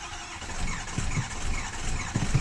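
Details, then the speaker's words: 2006 Ford F-350, being primed from a 5-gallon bucket of fuel after suspected air in the fuel system: starter grinds, engine briefly catches with a few uneven firings but won't keep running; owner suspects not enough fuel. "anyways, it'll start to doing that like it wants to run. Then you go to let off the key and it just won't start up and go. Just not getting enough fuel."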